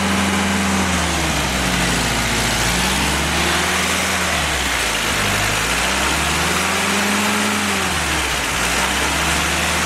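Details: Willys F-134 F-head four-cylinder fresh rebuild on engine stand during break-in, oil pressure 40–45 psi, water 165°F; smooth rising and falling note, no knocks or ticks; normal running.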